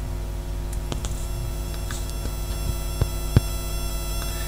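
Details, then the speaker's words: Constant thin buzz with a steady high whine: electrical interference from the camera screen picked up by the microphone wire during audio debugging, with the studio lights off. "that's actually coming from the screen of the camera that's being picked up by the actual wire here"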